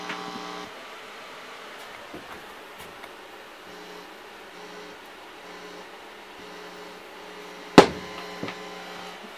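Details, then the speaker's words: Wedge monitor converted to a subkick mic, mixer input: steady low buzz under everything even with the mic set down, one thump; ground loop hum, fix would be lifting pin one on the cable. "now this is a weird ground situation cuz you hear the buzz"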